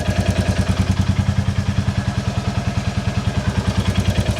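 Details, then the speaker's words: 2022 Royal Enfield Classic 350 Reborn single-cylinder at idle after a quick valve check and adjustment: an even thump with a faint light tick. It sounds normal apart from a known exhaust blow that is awaiting repair. "sounds quite [Music] normal that's that exhaust blow but don't worry about that cuz this exhaust will be getting sorted"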